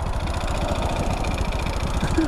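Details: Honda Grom with an oil starvation mod that wasn't pumping oil: low, loose idle with a persistent rapid tick on each beat, getting louder; piston knock from oil starvation.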